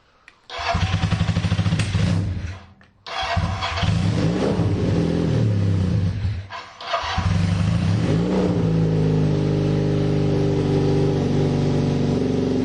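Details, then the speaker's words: KZ440 single-carb motorcycle, before carb teardown: fires, stumbles and dies with the choke off, restarts and holds an uneven idle. Owner suspects a clogged pilot jet. "is Idol with the choke off I have a feeling like my pilot jet is clogged at least that's what I'm thinking because why would it be doing that something has to be clogged up in this carb"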